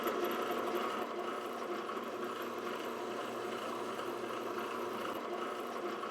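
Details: Old drill press rebuilt with fixed tensioning, rewiring, realigned motor and a 3/4" Weldon shank annular cutter arbor, run dry through steel: even motor hum and steady cutting hiss without chatter, slug ejected at the end; clean perfect hole.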